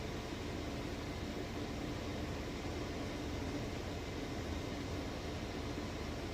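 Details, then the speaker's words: Maytag Bravos XL high-efficiency washer with a heavy load of jeans and towels, final spin. A smooth, even whooshing hum with no thumping, rubbing or banging; normal. "but as you can see it's nice and smooth sounds great"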